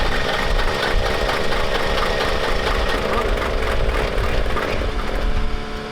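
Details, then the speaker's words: Diesel truck: rough, uneven running with ragged knocking over a heavy rumble and white smoke, attributed to a hung-up injector. "we got an injector hung up, but the tranny's fuel fluid, so we're gonna stop there."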